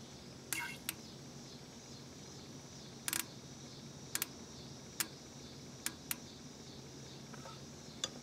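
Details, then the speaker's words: Fuel injector on the front cylinder of a 1996 Grand Prix derby car, the cylinder giving a bad reading, jumped manually with a ground wire, mic held close in a quiet bay: crisp clicks about a second apart, a healthy, working injector. "You could hear the clicking noise, and that's when the injector turns on, and you could hear liquid spray down the tube and start to fill the cylinder up with gasoline."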